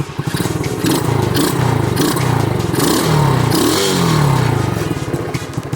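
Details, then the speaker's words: Pocket rocket two-stroke just fitted with a bigger 27mm Mikuni carburetor, first start while still cold; buzzes and blips crisply, revs climb and fall cleanly with no bogging; sounds good. "I know one thing, it does sound good."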